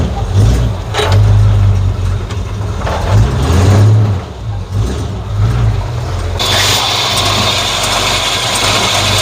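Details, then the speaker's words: 1950 Ford F1 flathead V8 8BA with headers after replacing a blown exhaust manifold gasket: deep, steady, low normal idle, much quieter, no puffing, ticking or backfire from the exhaust leak. "I like it like she sounds much quieter now let's take her for a spin see how she does"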